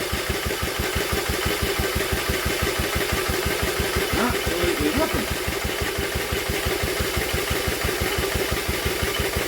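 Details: Old Villiers engine refitted to an Atom, spun over with a drill on the flywheel, choke off: steady rapid chuffing at about three turns a second, never catching. No fuel drawn up through a blocked carb jet.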